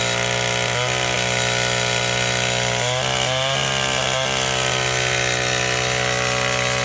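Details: Old, worn Echo SRM-225 trimmer with replacement eBay carburetor, run without air filter, owner suspects low compression: steady high two-stroke buzz with a couple of brief blips, running cleanly and holding speed.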